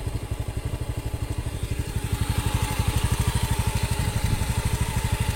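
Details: Honda Beat FI scooter, misfiring after a service, now repaired: steady, even single-cylinder idle, no misses; fault was only bad O2 sensor readings, sensor repaired not replaced; in-tank fuel filter not replaced.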